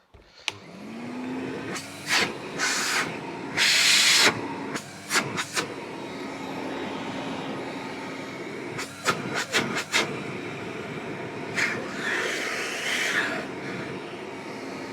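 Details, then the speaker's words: Vintage Hoover 419 cylinder vacuum cleaner after suppressor removal and a clean spins up to a steady, even hum and holds it smoothly; it is working perfectly again. "these are just the bits that came off it after the suppressor removal and it is now working perfect again"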